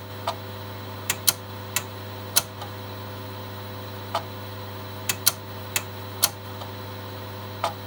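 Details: Megastor copying from C to drive B on two Shugart 8-inch floppy drives: sharp irregular head-stepping clicks, about a dozen in eight seconds, over a quiet mains hum; normal head stepping clicks.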